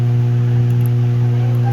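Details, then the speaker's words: Ibanez guitar amplifier powered on with no input: steady low hum with a few even overtones. "so ang trouble nito is may Ugong meron siyang haming kahit wala naman naka input sa kanya"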